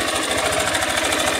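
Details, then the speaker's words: "660" motorcycle at idle, top cover opened, cam chain checked: fast hollow rattlesnake-like knock about every tenth of a second with firing; piston starting to slap in the cylinder, still mild but expected to worsen. "É, e essa moto, rapaziada, o defeito dela, esse barulho dela é é o pistão canecando. Beleza? Ela tá canecando o pistão, tá com começo, né? Tá iniciando agora."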